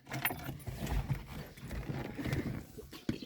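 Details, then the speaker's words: VAZ 2109: ignition key turned, keys rattle, then a lone sharp starter click but the engine never cranks; the starter had been repaired once and then replaced with a new one. "просто беру включаю замок запалювання чую звук щовкає стартер але нічого далі не"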